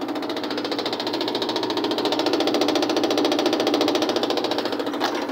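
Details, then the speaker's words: Automatic washing machine during spin cycle: fast, even knocking about three or four per second; cover not yet fastened is rattling. "Yan, medyo tumutunog lang kasi hindi ko pa na-itag nililitakit."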